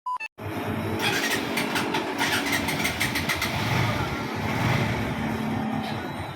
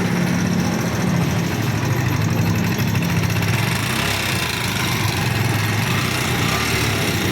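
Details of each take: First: NS150 motorcycle after repair (cylinder head replaced, blocked oil supply passage rerouted, conrod checked OK) starts and idles steadily with the previous ticking gone: normal idle. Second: NS150 motorcycle engine idling with fast steady metallic ticking over low thump; worn exhaust rocker arm found, intake rocker, head and conrod okay.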